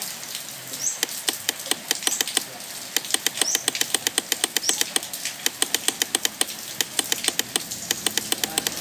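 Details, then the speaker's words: Car won't crank: quick uneven runs of sharp dry starter-relay clicks with no cranking when the button is pressed; relay clicking indicates the circuit works, otherwise check the light/start switch; cause unconfirmed. "Còn nếu như tình trạng mà khi các bạn nhấn công tắc đây mà tiếng Rơle nó không đóng tạch tạch như vậy thì các bạn sẽ kiểm tra tới công tắc đèn"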